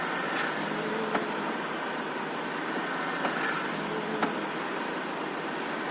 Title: стук при повороте руля